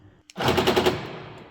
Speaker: so the door actuator tries to close the door several time very quick and you have this